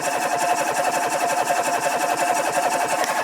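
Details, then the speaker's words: 1974 MGB newly rebuilt engine before first start, oil primed, battery sounding a little dead, coil unplugged: steady chugging starter at about three turns a second, noticeably lazy, no firing; slow cranking. "cranking pretty slow i'm gonna plug in this coil and hopefully this thing fires"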